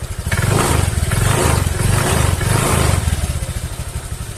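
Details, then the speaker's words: Honda Vario 150 scooter revved after the CVT cover was opened and serviced for a hissing noise at idle: engine runs smoothly, rising and falling evenly, knocking no longer heard; normal revving. "Mesinnya menyala dan berjalan dengan lancar. Suara ketukan sudah tidak terdengar lagi ."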